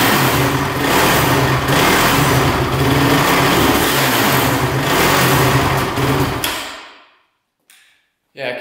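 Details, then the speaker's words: Honda TRX450 quad, choke still on, fuel on reserve: single runs unevenly then dies and refires, won't hold idle; owner suspects flooding or choking itself out, carb checked for leaks; cause unconfirmed. "almost sounds like it's flooding out turn off that gas there so it rubs out sometimes but sometimes doesn't so it's almost like it's choking itself out"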